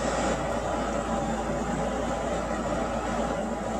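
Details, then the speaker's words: Carrier 58MCA-1551 furnace after fitting refurbished GE 1/2HP 1075RPM blower motor, blower wheel and new capacitor: on thermostat call the inducer motor starts with a steady, even hum at constant pitch, no rattle or scrape; normal startup. "it's coming on it is misses to turn it on so it'll start with the motor here"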